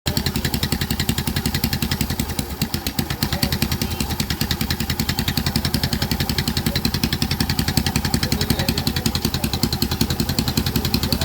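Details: Yamaha Saluto motorcycle at low idle: sharp, regular ticking pulses at nearly three per second over the exhaust beat. Abnormal low-rpm engine noise, cause unclear.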